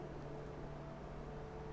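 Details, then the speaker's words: PC in a DeepCool Quadstellar case (i7-7820X, Strix 1080 Ti), MF120 fans on the silent profile: a steady soft airy whoosh with a faint low hum, still clearly audible; normal case fan noise. "it's still audible. So needless to say, if you're gonna be gaming next to this thing, make sure you have your headphones on."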